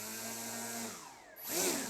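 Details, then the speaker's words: DIY RC plane brushless motor bench-tested on battery after a glue-up, throttle applied: thin high whine slides down then swells and climbs smoothly with no rattle; wired correctly, pushing air backwards for forward thrust, healthy motor. "And looks like we have wired it the right way because the air is moving backwards, which means the plane is getting thrust to move forwards."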